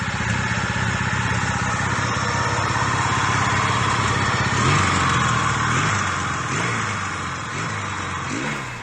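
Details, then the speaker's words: 1970s Yamaha XS650 twin, sat 10 years, mice in airbox, carbs ultrasonically cleaned: pops along at a fairly steady idle with slight wobble toward the end; runs and holds idle; normal idle. "so he tore it apart ultrasonic cleaned the carbs and got this thing to pop off and it actually runs it'll idle"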